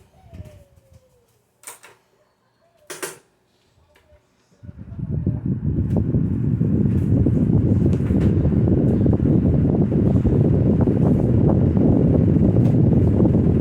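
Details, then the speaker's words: 1995 Lasko 16-inch commercial desk fan on low speed with a non-original Air King blade and cracked spinner: spins up fast into a loud, low wobbling drone with rhythmic thumping about three per second; blade badly out of balance. "Things starts up very fast, and I can already hear that this thing is terribly out of balance."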